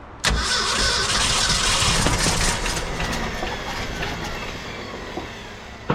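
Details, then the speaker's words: 1966 Ford F-250 factory 4x4 V8, long-parked, fuel poured in to start: engine catches with a burst, runs rough and unsteady a few seconds then fades; cranking with brief firing on poured fuel. "oh I wish I had something that just poured fuel a little all right we're going to call it quits on that note it is a runner I can't believe it"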